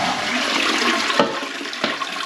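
A strong, even rush of water with no gurgle, knock or hiss from the valve, a clean full flush from a healthy cistern.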